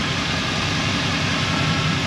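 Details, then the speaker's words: 1971 Chevrolet Blazer resto-mod with LS 5.3L V8 and 700R4 4-speed automatic, just started for a light check: fires right up and idles with an even, steady burble, no ticks, knocks or misses. Normal healthy idle. "That 5.3 fires right up. Nice and tight. No funny noises."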